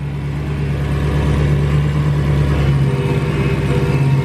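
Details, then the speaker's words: 2016 Dodge Hellcat bought from Copart, first start after reassembly with a new supercharger pulley, jump box on, coolant a little low: a strong, even V8 rumble with a smooth pulsing beat and no knocks or ticks. Runs perfect. "I don't want to jump the gun or anything but you know it's always satisfying when you take someone apart put it back together and it runs perfect everything sounds good"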